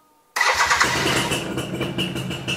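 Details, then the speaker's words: Classic two-stroke motorcycle, ignition on with neutral light lit, one press of the electric starter fires it at once into a steady two-stroke idle without hesitation or misfire; normal healthy electric start. "Satu kali doang. Ini menandakan motornya sehat, teman-teman."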